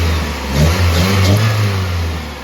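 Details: 1995 Toyota Celica after replacing the leaking OEM flex pipe between header and catalytic converter: steady low exhaust rumble with a slight blip, no puffing or ticking leak; normal running.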